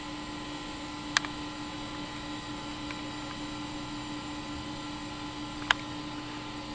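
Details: Macintosh Classic compact Mac computer running: even, steady fan and drive hum with a couple of faint clicks; the machine is running smoothly and normally.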